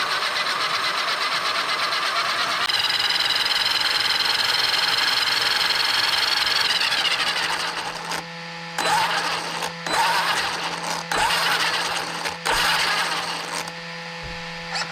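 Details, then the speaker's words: Traxxas X-MAXX 8S RC truck on the bench after replacing the spur assembly and rear bulkhead to cure repeated gear stripping: electric motor whine rises and holds under power, then short throttle bursts; pinion and spur mesh solidly with no jumping, skipping or clatter. "I'm quite happy with how it is at the moment. It's not jumping backwards and forwards or anything like that. It's quite solid, and the pinion's quite solid in where it is as well."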